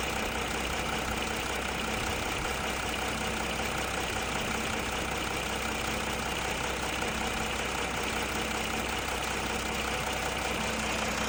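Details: Audi A4 2.7 TDI diesel idling steadily with a faint, fairly regular light ticking under the clatter; ticking sound, source not pinned down.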